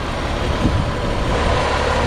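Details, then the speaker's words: 1961 Ford Falcon six after points, timing, plug gap, valve lash set to 0.016 in hot and a carburetor rebuild: an even, steady, low idle rumble with no rocker ticking, misses or surging, purring smoothly. "it just just purrs like a kitten I mean it just runs very smooth now and with the valve lash being set where it's at you would think that this thing would have a noisy you know rocker arms but it doesn't"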